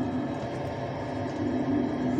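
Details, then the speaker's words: 12V 30A diesel air heater for a house: steady low blower hum that keeps running continuously even when the heater is powered down; owner suspects the temperature sensor. "now it's running constantly all the time even when this is powered down"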